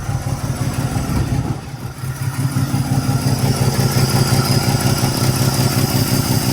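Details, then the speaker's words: Truck with a freshly rebuilt and reinstalled Carter downdraft carburetor, warming up with air filter off: steady, even low putter with a clean rhythm and no misses or knocks. Normal warm-up idle; oil pressure verified, gauge not working. "But it's warming up."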